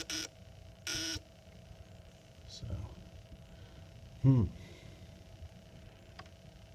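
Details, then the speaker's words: Exit emergency sign gives two short, harsh buzzing beeps about a second apart when tested, signalling loss of power while the lights fail to come on; two internal batteries were bad, and replacing them fixed it. "So, oh, when I lose power, you get an alarm."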